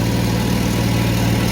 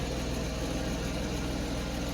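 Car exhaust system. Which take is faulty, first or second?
first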